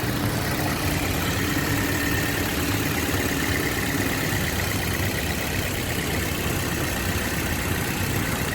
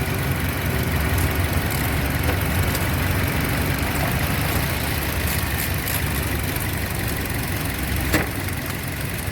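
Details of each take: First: 2007 Toyota Yaris petrol engine idling with the AC on, customer reports jerking and hunting: slightly uneven, stumbling beat, a mild misfire later traced to a faulty ignition coil. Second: 2007 Toyota Yaris at idle with AC on after an ignition coil fault causing hunting and misfire was fixed: engine idles smoothly and steadily, no misses or hunting.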